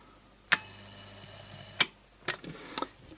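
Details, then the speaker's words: 52p AliExpress USB charger during insulation testing, after failing with 3 mA leakage: sharp snapping cracks at irregular intervals, a few per second in bursts, over a faint hum; high-voltage arcing inside the transformer from the feedback winding, burning through its tape. "I definitely hear it though yeah I definitely hear arcing H I wonder where it is it's probably inside this Transformer here"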